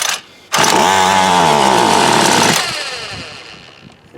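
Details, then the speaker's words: Homelite UT33650A 26cc trimmer with a brand-new fuel filter, tried primed and on half choke; a two-second pull-over whirr with no firing; the carburetor seems not to be getting fuel, and a Ryobi carburetor later made it run. "spool works I don't think it's getting any fuel"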